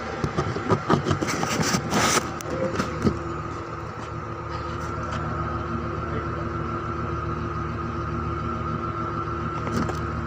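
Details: 2005 Ford Expedition V8 after replacing 4 ignition coils and cleaning the spark plugs to cure a misfire: after a few seconds of handling clatter, it settles into a smooth, even idle with no stumble or miss.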